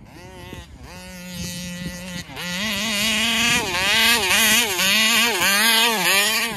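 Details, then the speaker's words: Taylor RC 35cc reed engine in the Punisher RC, throttle held wide open: revs sag and surge repeatedly, engine bogging at full throttle and won't idle; owner suspects the carburetor and plans to swap it. "so I think something's wrong with the carburetor [Music] cuz it won't idle"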